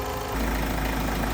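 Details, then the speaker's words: Great Wall Hover 4D20 diesel idling after rebuild, engine itself fine; loud steady grinding whir drowns the engine from worn air conditioning compressor bearing, later replaced. "я говори даже звук не могу вам продемонстрировать звук этого кондиционера забивает Всё вообще всё что можно"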